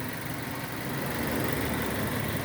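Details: 2006 Nissan Y11 AD, QG15 e-throttle engine, idling as scan tool commands intake VVT phasing to -10 during cam-crank correlation testing; vacuum reading normal. Smooth, even idle, steady low rumble, no misses, knocks or ticks: normal idle.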